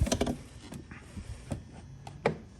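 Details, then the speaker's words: 2021 Honda Gold Wing electronic saddlebag lock: lid gently closed and held about a second or half a second gives a soft thud, then a short sharp click as the lock latches. Normal latching; slamming it shut doesn't lock. "You just have to gently close it and hold it there for like a second or a half second, and then it clicks."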